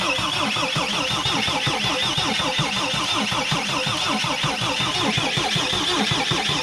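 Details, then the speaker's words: Mercedes Sprinter diesel with a new tank and pump, after reconnecting the pump's electrical connector: the starter keeps the engine turning in an even rhythm but it never catches. Bubbles are seen at an injector and the battery is weakening; cause not confirmed. "definitely some bubbles on a fuel injector right there so close guys so close so close so close"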